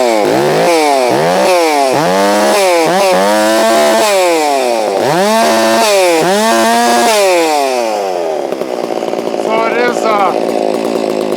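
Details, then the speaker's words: Holztfforma G660 chainsaw that had been losing power at top-end rpm, warmed up on a chilly morning: it bogs briefly into each cut, then holds a strong, steady pitch with slight four-cycling at the top and revs freely between cuts. It now stays in the cut, so power under load is normal. "sounds like it's four cycling at the top end a little bit. That's the way I want to run it."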